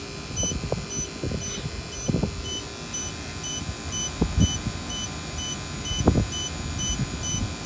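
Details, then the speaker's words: Battery-powered vacuum pump with a check valve: a high, even beep about twice a second over low knocking, a heartbeat tone that speeds up and gets louder as the battery dies, warning before shutdown. "so you do get a warning uh a tone a heartbeat a heartbeat speeds up and it gets louder before the battery dies to get your attention if you're nearby"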